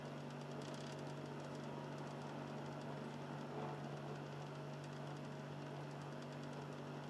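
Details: Xbox 360 Slim with Philips Lite-On DVD drive, console in standby: quiet steady low motor hum with a faint rough, gritty edge, a lower tone than the drive's earlier recording; drive motor grinding.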